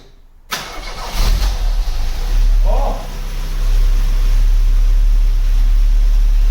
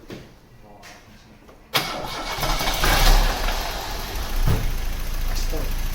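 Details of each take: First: 1991 Cavalier GL, rebuilt 18SEH engine (original 1.8 block with 2.0 8-valve head and cam) replacing rattling 2.0, first start after fitting: cranks, catches quickly, settles to smooth steady idle with no knocking or rattling; healthy. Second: 1991 Cavalier GL, C20NE 2.0 bottom end under SRi 130 top end, lifters and cam swapped without fix: rough idle with dull regular bottom-end knock; big ends thought to be knocking, engine declared scrap.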